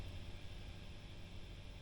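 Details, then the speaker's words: Marshall JCM800 2210 split-channel reverb 100 W head idling after the noise fix: only faint low hum and soft hiss, no crackle or buzz. The amp is now quiet. "Pretty nice amp. And does seem quiet now."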